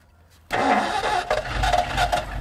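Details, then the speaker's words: 1964 Ford Galaxie 390 V8 junkyard car, first start on gas can fuel feed: brief cranking, then catches and settles into a lumpy, uneven idle as if missing a cylinder; "at least 6.5 cylinders," yet runs good. "I think we have at least 6.5 cylinders there."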